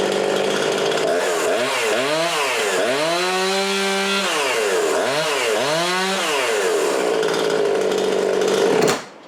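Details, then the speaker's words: Husqvarna 350 chainsaw (18") after complete rebuild with new cylinder, piston, ring and gaskets; crisp two-stroke revving smoothly with clean throttle response; runs perfect now, earlier smoke was assembly oil; muffler gasket left off, possible exhaust leak; compression reads 75. "It runs perfect now. Like I said, it always was a good running saw, and all that smoke was from the assembly oil going in it"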